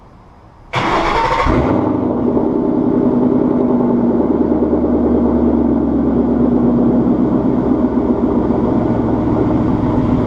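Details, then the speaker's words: Warm Ford Mustang Coyote V8 with stock headers, off-road X-pipe, no resonators and Corsa Extreme axle backs, after a fuel injector swap for a loud tick: starter whirs, loud even burble, no tick; normal smooth idle. "It has stock headers, an off-road X-pipe, no resonators, and Corsa Extreme axle backs. So it's a pretty loud Mustang."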